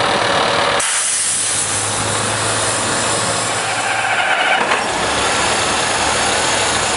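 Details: Heuliez GX417 CNG bus: a long stretch of low steady cranking hum under heavy hiss, slow to catch. Hard starting, cause not yet clear.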